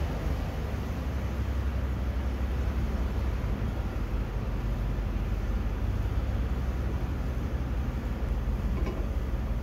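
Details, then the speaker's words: 2013 Ford F150 backing up with the phone mic by the fender, after rear brakes that squealed while camping: even rolling rumble with no squeal or ringing; brakes quiet, owner doubts it is actually fixed. "Well, that sure is surprising, because up camping it was squeaking like a dirty bugger. But now it's not. Maybe I fixed it? I don't think so. But it's not squeaking today, so I guess that's a win."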